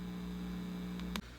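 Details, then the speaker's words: Sears Silvertone Twin Twelve 1484 tube amp under restoration: steady low hum with faint hiss at pin 7 (input), still present with the tube removed, ending in a click; out-of-spec resistors suspected (one drifted 68K to 6.8 meg). "Wonder if it's on pin 7 when the tube's removed. I took the tube out. I still hear it on pin"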